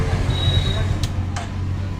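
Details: Hero Super Splendor motorcycle, after timing chain/engine noise problem was worked on: soft, low, even putter at idle with no chain rattle or top-end clatter; problem resolved, engine sounds healthy.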